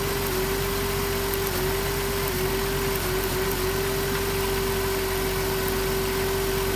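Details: 2007 Dodge Grand Caravan idling rough: uneven idle with occasional stumble; misfire from damaged boot on number two spark plug wire arcing to the engine block.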